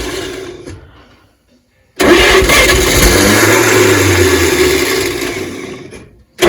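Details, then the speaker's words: 1938 Chevrolet Master Deluxe that sat since the early 1970s: cranks hard, catches for a second or two with a lumpy rise in revs, then fades away; it fires but won't keep running. "we did hear it run a little bit we did we had it barking off a bit it just wouldn't keep itself running"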